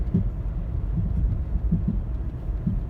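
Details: 2010 Toyota Corolla LE engine with heavy low thumps and pops in an uneven rhythm, about one or two a second, over the engine rumble, louder in person; source not identified.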